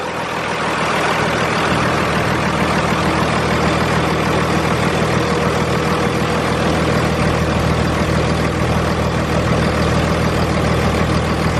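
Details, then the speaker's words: 2001 5.9L 24-valve Cummins diesel after valve lash adjustment, cold start, heard in the cab: steady, even idle with a soft regular clatter and no ticking or knocking; much quieter than before. "Yeah, it sounds a lot quieter in the cab."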